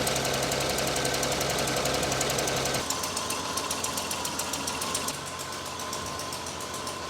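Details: Land Cruiser under restoration, after an air/vacuum leak was found: sharp, steady ticking about three to four per second over a smooth idle, a persistent valvetrain-type tick, slightly quieter than before; idles much smoother now, cause of tick unconfirmed.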